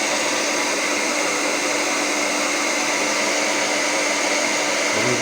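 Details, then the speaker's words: Hair dryer after motor replacement with an aftermarket motor, professional-grade salon dryer used for several years; second fan speed with heating, nearly 8 A draw: constant high airy rush at steady speed, no rattle, buzz or surging; repair successful, normal running. "jest teraz bardzo wciskał także naprawa się powiodła"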